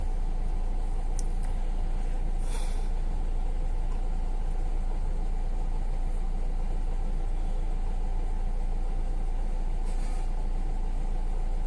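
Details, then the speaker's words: Hyundai Verna 1.6 diesel that cranked without starting (P1693 immobilizer/transponder error, key problem), now running with no trouble codes: a low, smooth, even idle with no misses or knocks. "तो आप देख सकते no trouble code ए रहा है गाड़ी हो गई start"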